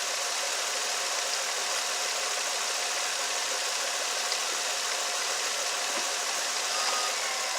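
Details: Nissan Altima with a P0300 misfire code, after new NGK double platinum plugs, idling in reverse against the brake under load. The idle is even and steady with no stumbles or skipped beats: normal idle under load, no misfire.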